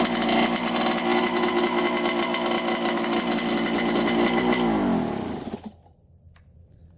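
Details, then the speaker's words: 1987 Honda CR80 two-stroke, started on choke after a carburetor clean-out, spark confirmed, a cleaned air filter, slightly milky oil and coolant in the system. It holds a crisp, steady, even idle and dies away cleanly at shutoff; normal running. "right so that sounds pretty good"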